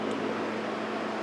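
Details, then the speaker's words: 1986 Honda Goldwing Aspencade bobber build, key on, engine not running: steady even whoosh of air with faint hum as radiator fan spins; normal cooling fan operation. "fan works as you can hear"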